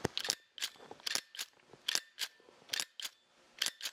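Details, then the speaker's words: LAN cable crimping tool squeezed hard: crisp metallic clicks as the ratchet mechanism steps over its toothed gear, holding the handles closed. This is normal ratchet action; non-ratchet tools make no sound and spring back open. "뭔가 톱니바퀴에 걸리는 소리가 나죠. 이런 소리가 나는 이유는 바로 이 툴에 레치라는 장치가 되어 있기 때문입니다."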